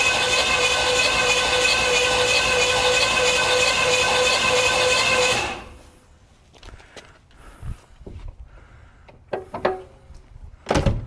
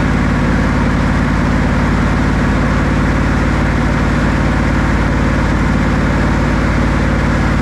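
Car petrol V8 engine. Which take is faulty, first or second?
first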